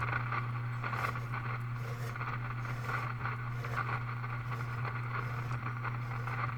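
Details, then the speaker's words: RCA Model 641 tube radio at first power-up, no antenna fitted, AM dial being tuned. A low steady hum under soft crackling static that shifts with the dial; no station comes in, as expected. "there's no antenna on this radio so I don't expect to get anything but you never know"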